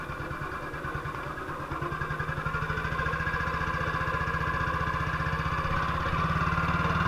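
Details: 1958 BSA C12 single-cylinder on a road test after a misfire fix; the misfire had earlier caused a breakdown, and the battery tested fine at 6.3 V. Even thumping quickens steadily as revs climb, with no skipped beats. Sounds like it used to: normal running.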